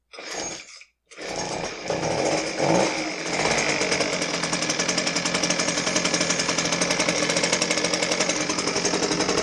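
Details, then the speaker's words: Husqvarna 125B handheld two-stroke leaf blower running at a loud, steady roar with a rough rattling edge; customer complaint is a rattle, source hard to pinpoint, suspected cracked impeller. "all right so I don't know how that came off on the video but there's definitely a rattling noise coming out of this blower it's kind of hard to tell where it's coming from but I suspect that it might be coming from the impeller area"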